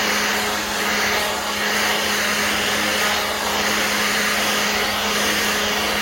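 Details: Black+Decker 20V cordless blower/sweeper running on a new battery: an even, strong fan rush with a steady motor tone near two hundred cycles and no dips or surging; the blower runs normally.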